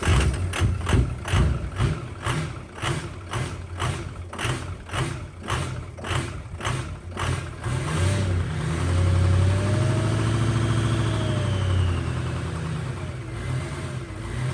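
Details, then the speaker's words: 6.0 Powerstroke diesel with new injectors. About eight seconds of slow, rhythmic cranking, then it catches into an uneven, wavering idle. It runs rough while air purges from the high-pressure oil system. "new injectors always take a little bit to cycle it's going to run rough the high pressure oil system needs to be purged of all the air in it so you got to run them uh pretty hard"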